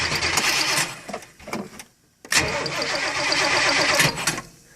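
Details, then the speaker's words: 1990 Chevy 454 TBI in a Fleetwood Pace Arrow motorhome, cold start, battery weak: cranks, catches on starter fluid and dies, then runs unevenly only while the pedal is pumped. Hard start from fuel starvation. "I can start it with starter fluid, and if I pump the pedal I can keep it going, but it just stalls out."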